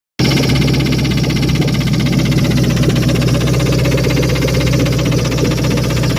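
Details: Engine running at a steady speed with a fast, even tapping over a loud, rough note; the knock is clear, but the owner is unsure whether it is rod knock, a lifter or the timing chain.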